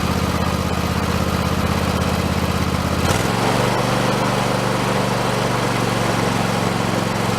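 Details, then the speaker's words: Husqvarna YTH2454 riding mower just after carburetor rebuild with kit: runs steadily, then the beat suddenly drops and sags around three seconds in; owner thinks it was running out of gas, fuel starvation. "just running out of gas I think I got to put more gas in there I think that's what it was wrong"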